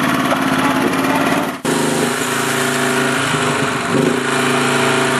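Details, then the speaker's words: Honda HS928 snowblower after auger gearbox repair and auger bearing (6203) replacement, test run outside without snow, key electric start with choke: busy small-engine note after brief dip, holds even speed with augers turning, no knocks or grinding; repair successful. "so once you've taking it out like that you know it's going to run good I wish I would have had more snow but I know it's blowing and it's a job done"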